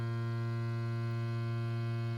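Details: Frabill Min-O²-Life minnow bucket aerator pump after conversion to rechargeable 3.7V 26650 Li-ion batteries with USB-C charging: steady low electrical hum, even tone, no rattles; running quietly and smoothly.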